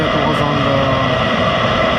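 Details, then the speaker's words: Eberspacher Hydronic D5 (5 kW, 2nd generation) heater with fault codes 12 and 15, bench-tested without exhaust muffler, just started: steady even roar, no surging or misfire; running fine. "So the heater is running for a while now. It's about 800 seconds, so 12-13 minutes, and everything is fine."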